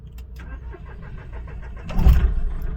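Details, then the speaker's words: Mahindra Bolero Neo diesel with knocking, misfire and heavy vibration, after clearing fault codes: starter cranks almost two seconds before it catches and roars up; long crank, no check engine light yet, knocking persists. "फिर से long self ली और car हमारी start हुई लेकिन अभी कोई check engine light नहीं है।"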